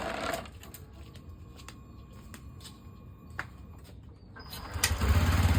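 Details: TVS Callisto scooter after fuel pump fault that caused sputtering, stalling and no throttle response: small single-cylinder engine ticking over at an even, settled idle with no stumbling or cutting out; normal idle.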